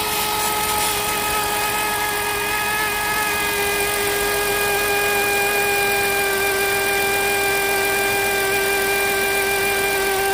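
Steady high whine with several clear tones sitting over the idle, never wavering; that is a worn alternator bearing singing.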